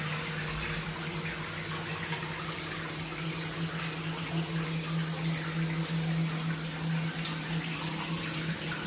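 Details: Multifunction shower system with poor overall flow: a steady low hum under rushing water while the body jets run, with slight vibration at the shower valve; cause not evident.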